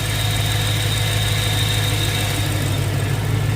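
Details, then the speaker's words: BMW E92 M3 at idle with a thin, steady high whistle over a slightly uneven idle. Owner suspects an intake vacuum leak, audible when rubbing near it, but the source is unknown. Unusual engine noise. "guys can hear that whistling. Not sure what that is. Um, does sound like there's some sort of intake vacuum leak somewhere."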